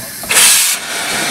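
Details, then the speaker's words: Steam boiler lifting injector on an overtype engine, first steam-up in 30 years: a sharp steam hiss settles into a steadier, quieter hiss, with feeding heard at the check valve; normal priming and feeding. "Now it's feeding, and you can hear it in the check valve."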